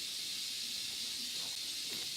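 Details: Livestream just after switching to earpods for the microphone: steady high-pitched hiss unchanged throughout with nothing over it; noisy microphone pickup, cause not clear.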